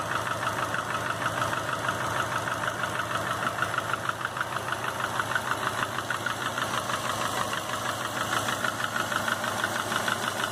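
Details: 2005 Subaru Legacy GT with a refurbished block (new crank and bearings, used rods, pistons, heads, VF40 turbo), warm idle, 22 psi oil pressure, new plugs, no exhaust leaks: sharp regular knock about three times a second; cause unknown.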